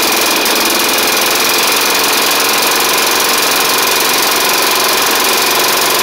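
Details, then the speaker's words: Snapper hi-vac push mower, Tecumseh engine, first run after carburetor swap: harsh clattery engine with light uneven tapping on a rough beat; rough running with light knock, owner may add 20W-50, cause unknown. "wow shoo well she is running it ain't the it it didn't smoke up as bad as I thought but ma'am doesn't really sound the best either unfortunately"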